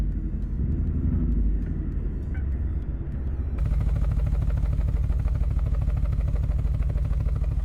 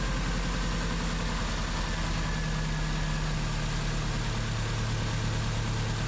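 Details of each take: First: 2001 Subaru Impreza 2.5RS (GC8), no catalytic converters: heavy, lumpy exhaust rumble with uneven chug about three times a second, running on two cylinders; codes P0301 and P0302, cylinder 1 and 2 misfires; plugs and wires to be checked. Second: 2001 Subaru Impreza 2.5RS (GC8) after swapping in a used ignition coil to cure P0301/P0302 cylinder 1 and 2 misfires: a steady, even, smooth idle, confirming the ignition coil was the culprit.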